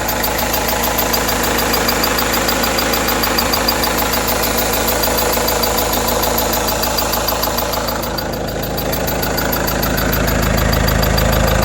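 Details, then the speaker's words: Renault F9Q diesel idling with a steady clatter and a thin, high squeal chirping about three times a second; water pump and timing belt tensioner not replaced, everything else new; owner says it's not the belt or tensioner, cause unknown. "1 5 1 и 9 собраны новому от ворот такой писк не менялась помпа не менялся натяжной ролик грм все остальное новое такой звук где-то вот откуда"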